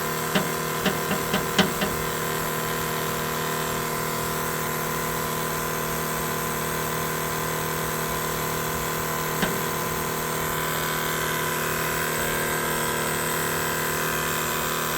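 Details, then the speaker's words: 1987 Chevrolet V10 Custom Deluxe truck, key on after installing a new Carter electric fuel pump: a steady pump hum with a few ticks at the start and no change in load; the pump runs but little or no fuel comes through, so it is not priming. "So, I'm going to turn the key on. Oh, definitely hear it. Let's see if we have any fuel. I have no fuel there."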